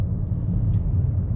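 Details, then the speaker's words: Car at 57,000 km, never crashed, that had been clunking from a front wheel, driving after checks: only a steady low road rumble with no clunking or knocking; normal driving. "Thôi bây giờ mình sẽ chạy vào gara và báo lại cái tình trạng là xe hết bị kêu rồi để cho anh chủ gara yên tâm nha các bạn ạ"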